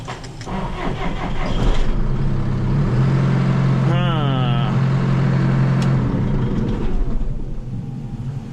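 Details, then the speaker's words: John Deere 6115M diesel tractor restarted while a battery charger is being tried for an intermittent no-start. Cranking catches fast, then a steady drone with an odd rising whirr, abnormal starter engagement; the owner doubts the battery and suspects an electrical fault or solenoid, plans to clean the connection. "I'm not convinced that was the battery um because it started too easy once it took off I think it was some type of electrical thing"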